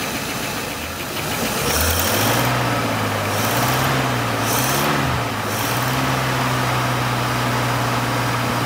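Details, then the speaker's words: 1950 Pontiac Chieftain, 249 cu in L-head Silver Streak straight-8, after long storage, now running only on its own fuel pump; wavering idle settles into a steady, even hum with no stumbling: normal idle. "well it seems like everything's working i would have thought that the car would have died by now"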